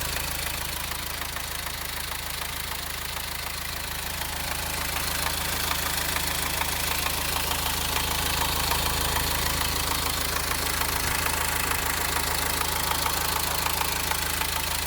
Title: Subaru Impreza Diesel Clattering Noise